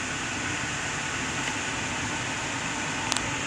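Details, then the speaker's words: 2011–2015 Kia Sportage after repair: a steady rush of air from the dash blower on settings two to four and on defrost, with no more of the under-dash knocking that occurred on AC settings 3–4 with recirculation. "we're gonna take and press our defrost button and we have no more noises"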